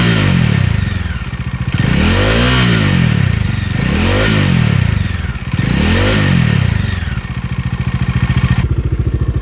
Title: Dominar 400 2022 Model | Rattling & Buzzing Noise Issue - How to fix #d400 #dominar400